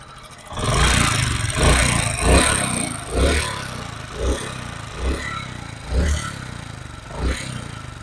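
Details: Honda CD 70 single-cylinder bike blipping about once a second, each rev carrying a dry tappet clatter over the exhaust; noise appears once the engine warms slightly, tappets repeatedly set but noise persisted; loose/worn tappet clearance.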